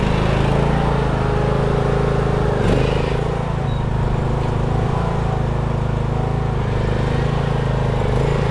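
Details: Craftsman riding mower that sat two years, after a dead battery and bad connections were fixed and the starter and carb replaced. Steady low rumble at constant speed, firing evenly without stumbles or knocks; normal running.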